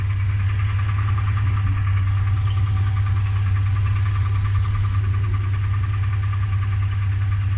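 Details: Toyota Land Cruiser / Lexus LX450 at idle: dull irregular knock about three a second from the engine bay that stops when the wheels are turned; owner suspects power steering pump.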